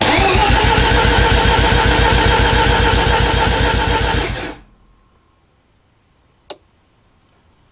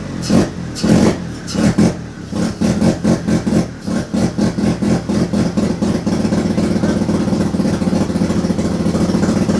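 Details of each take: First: Mazda RX-7 FB Turbo II with MegaSquirt after connecting firewall connectors: steady even cranking at about 220 beats a minute for four seconds with rpm signal now reading; normal crank. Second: Turbo II FB RX7 rotary engine on its first real run, after leading/trailing coil checks; lumpy, uneven firing with sharp revving blips settling into a ragged, untimed idle, smoking out the garage. Rough running on first start.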